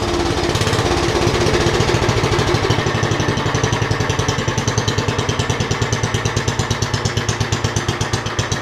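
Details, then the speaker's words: Roughly 40-year-old (1977 or 78) Lincoln Weldanpower 150 genset welder just rope-started cold: single cylinder settles into a steady, slow, even thump of about six or seven beats a second; healthy idle. "Is that a mean idle or what?"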